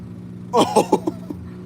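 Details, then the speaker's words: Washing machine spinning a sudsy smaller load: a string of short squealing chirps, each fainter as the drum slows; the drive belt is slipping under the suds load. "It's stopping quickly because it's full of suds. Oh shit. Do you guys hear that? The belt was slipping."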